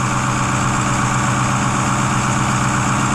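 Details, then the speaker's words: 2010 Ford F-250 6.4 Powerstroke diesel after engine rebuild, cold engine automatically in high idle mode to warm up faster: even, steady clatter at raised idle, no misses, knocks or smoke; running healthy. "You guys listen to it, you can see that it's idling up right now. Notice that, how it's idling up? Because obviously it's cold out, so it's gonna kick itself in the high idle mode."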